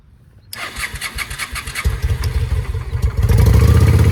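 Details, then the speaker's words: 2007 Honda Shadow V-twin after a new clutch: quiet, then it catches and chuffs unevenly, building to a lumpy, irregular idle. It knocked earlier and seized briefly during an oil check while running. Runs rough; cause unknown. "Not sound very good still. I think my bike may be fucked, guys. I have no idea why."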